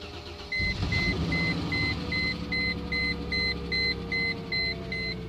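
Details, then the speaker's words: Toyota Camry or Corolla that sat unrun for months, just fitted with a new alternator: cranks briefly, catches and settles into an even idle under a steady door chime, no smoke; normal start and idle. "all right so the good thing is no smoke you should be running good"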